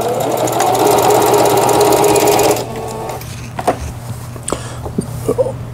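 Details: Singer Stylist 7258 110V sewing machine, after repair of feed regulation cam crank and reverse button: rapid, even needle clatter about four stitches a second, stopping with light clicks; normal stitching.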